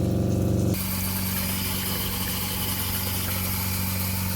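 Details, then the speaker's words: RV water pump running with kitchen and bathroom sinks on, phone on floorboard in bathroom: steady low hum with pulsing drone as pump vibration carries through plumbing, before fitting vinyl tubes on each end of the pump to reduce it. "you can hear the vibration from the water pump all the way in the bathroom the sink is still running"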